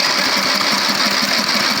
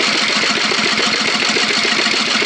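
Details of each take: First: Fifty-dollar riding lawn mower being built into a go-kart, new battery, rewired negative cable, added gas tank and new spark plug: steady rapid starter churning with even compression pulses, never catching; cranks but won't start because it has no gas. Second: Fifty-dollar riding mower go-kart project, small single-cylinder engine in neutral, fed from a hand-held bottle of gasoline after cranking dry, new spark plug: rapid regular chuffing at a steady pace; engine started and running.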